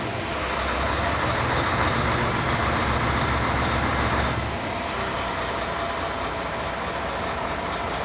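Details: Mercedes-Benz Actros with hard-start problem, after replacing worn pump with damaged rotor and priming fuel: engine catches and holds a steady, even diesel run without stumbling; normal start after repair.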